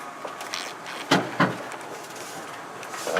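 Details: 1994 Ford F-150 pickup moving over a bump while turning: two sharp metallic clunks about a third of a second apart from under the rear; owner doubts tailpipe, rear differential, shock, driveshaft or loose bed; cause unknown.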